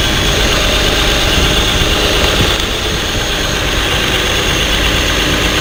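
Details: Truck with flashing check-engine light and code P0350, idling while coil connectors are unplugged one by one: loud rough idle with irregular beat, one cylinder dropping out; engine sound unchanged on failed ignition coil, confirming it.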